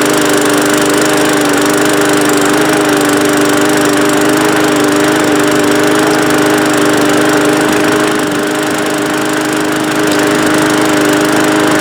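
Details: Bolens walk-behind mower pulled from the trash, single-cylinder Briggs engine, after a ten-minute repair of the non-starting mower, carburetor refitted, run briefly without its air filter cover: steady, even drone with no misses, starts on first pull, sounds good enough.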